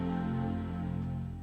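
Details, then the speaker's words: iMac being diagnosed for a display fault, likely LVDS: a single warm chord rings out at power-on and fades over a second or two; normal startup chime. "you could hear the sound the chime yes you could hear the trying sound"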